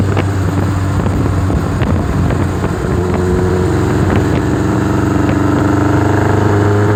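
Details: Warm motorcycle on small throttle runs unevenly, with irregular pops and stumbles breaking the exhaust beat while testing a misfire, cause not yet found.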